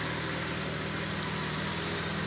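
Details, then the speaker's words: Car that previously would not start, stalled and had a low battery, after converting the electronic voltage regulator to a mechanical type and modifying the fuel pressure regulator for weak fuel pump pressure: now starts, smooth even idle, charging normal. "Tapos makina dati ayaw umandar so ngayon umandar na."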